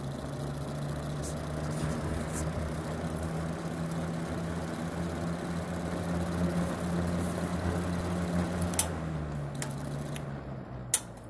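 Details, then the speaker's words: Vintage GE WC2 box fan, likely early 1970s, running on low: steady motor hum plus an abnormal extra buzz that appears then fades; owner suspects a shading coil rubbing the rotor. "i don't know what that uh extra buzzing sound is that it's making it just started wasn't doing that before now sort of stopped"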